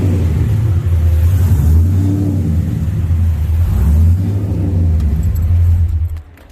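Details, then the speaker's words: V8 car newly wired to a Holley ECU, with the fuel pump and fans switching on and off through the ECU: a deep rumble swells with a couple of blips, settles, then cuts off; it runs but still needs a lot of tuning. "I got the fuel pump to work on the ECU, so you can hear it. Fuel pump and the fan start, and they shut off"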